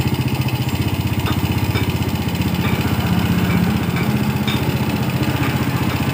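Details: Yamaha Vega R motorcycle idling after its faulty carburetor was serviced and refitted; air filter cleaning and body covers still to go. A steady, even single-cylinder putt at about four beats per second; smooth, normal idle.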